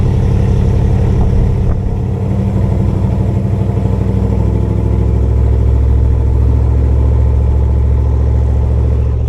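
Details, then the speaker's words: Cammed Chevrolet Camaro V8 driven at partial throttle: a deep drone with an irregular, stumbling pulse breaking the rhythm. Misfire has returned two days after the car was got running, with no check engine light yet; cause not found. "you can hear that. That's not supposed to sound like that. That sounds terrible. So I got it to come back."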